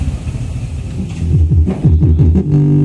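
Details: Canbridge Soundwork FPS2000 active speaker playing music: bass notes give rough flapping buzz while highs stay clean, from a torn woofer surround; volume fault from a worn volume potentiometer.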